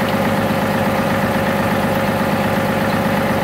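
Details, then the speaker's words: 2018 John Deere 3038E tractor after fixing a crankshaft position sensor fault (code ECU A 523249.05, previous intermittent no-start): fires right up, steady even diesel clatter at smooth idle, no misses or knocks; normal. "Everything's running good. Tractor arrives up fine."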